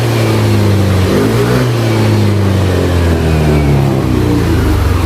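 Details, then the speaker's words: Yamaha NMAX New after replacing worn bearings, the rocker arm shaft and the failed rocker arm bearing that caused a rough engine sound: the revs rise and fall cleanly with a smooth, even note and no ticking from the top end. "Nah ini untuk suaranya sih halus lagi ya, kembali halus lagi, normal lagi, maksudnya seperti yang si abang yang diharapkan."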